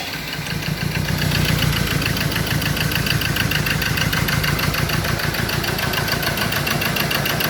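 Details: Ford Ranger diesel that would not start, now running on only cylinders three and four; rough lumpy idle with heavy uneven knock about three times a second, cylinders one and two not firing, no injector pulse on their wires.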